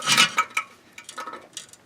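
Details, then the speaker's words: Removed catalytic converter from 1999 Honda Civic EX 1.6 VTEC D16Y8, shaken by hand: light clinking rattles in uneven shakes as loose pieces tumble inside the shell; catalyst substrate broken loose. "You can see if I rattle it around, a whole piece of it has come apart inside."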